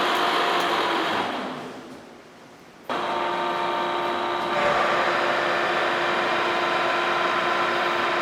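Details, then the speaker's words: Interrupted boring cut in a worn, out-of-round cylinder of a 1917 A.D. Baker steam traction engine, on a Lucas horizontal boring mill with a Chandler duplex boring head: steady cutting drone with a faint twice-per-turn rhythm as the tool bites only two high spots, cleaning up slowly. "all right well that's cleaning up slowly but nicely um actually that feels really good but it was hitting in two spots I heard that time"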